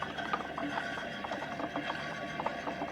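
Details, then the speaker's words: Used gooseneck equipment trailer, far-side tire spun by hand: scattered uneven clicks and tumbling rattle; owner suspects balancing beads inside the tire, not uncommon on trailers. "so that tire on the far side that I just spun I don't know if you could hear it but it actually sounds like it's got balancing beads in it"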